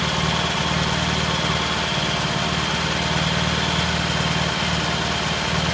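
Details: 1968 T100 vintage British twin, first start after a new battery was fitted: even, steady idle with a smooth low beat, no misses or knocks, and good rev. Normal idle.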